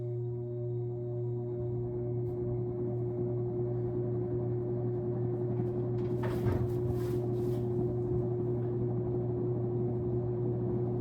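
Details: Sears Lasko Turn of the Century 52-inch ceiling fan running on high during airflow (CFM) testing: steady low hum with a clear ringing tone, brief handling knock midway; motor hum, cause suspected (possibly the light), not confirmed.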